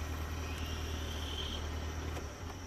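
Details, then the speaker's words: 1996 Ford Ranger XLT: after repairing the ignition actuator rod in the steering column (steering wheel removed), the steady low idle drone cuts out cleanly near two seconds; the engine now shuts off with the key. "the car now shuts off let's see if it starts up with just the key awesome"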